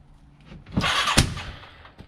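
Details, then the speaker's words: 1989 Yamaha Moto-4 350 after budget rebuild, first crank, starting fluid sprayed in, exhaust leak, owner suspects worn rings: short cranking whir, then one sharp bang on the second try and a faint later pop; a backfire. "Whoa! We got a backfire. Oh, come on, fire."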